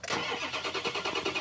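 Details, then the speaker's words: Ford 6.0 Powerstroke diesel crank-no-start, monitored with a ScanGauge: even starter cranking about seven pulses a second with no firing; sync and FICM power present, but injection control pressure stays under 400 psi versus 500 needed to start. "okay we had sink we had fum power with the maximum ICP that I saw build there was under 400"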